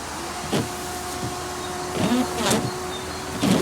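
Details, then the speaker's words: 2001 Jaguar X-Type washer bottle motor, mounted under the bottle behind the wheel arch. A thin steady electric whir starts with each button press and holds its pitch, but no water comes out; the pump isn't delivering, though the motor may not be the cause. "hear it running no water's coming out"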